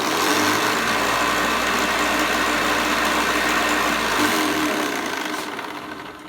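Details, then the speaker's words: Hoover Commercial C1310 upright vacuum after a slightly smaller, tighter belt was fitted; steady even whir with constant low hum, no slipping or flapping, smooth spin-down; belt slip and weak brushroll fixed, normal running. "I think they're just a fraction of this of the size a bit smaller so it's a bit tighter absolutely no issues whatsoever"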